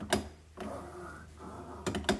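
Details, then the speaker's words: Pull-down kitchen faucet after moving the hose weight away from the drain pipe: soft, even sliding rustle of the hose with light clicks, smooth movement with no heavy clunking. "so we check the movement at the sink got really nice smooth"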